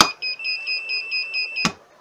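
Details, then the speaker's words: Repaired Lawn Flite mower starter solenoid bench-tested with continuity tester: short even tester beeps, then one sharp click as contacts close when positive is applied; solenoid switching properly, continuity confirmed. "there's a bit of annoying beep on this you can actually hear it click and the continuity is there so it is now a functioning solenoid"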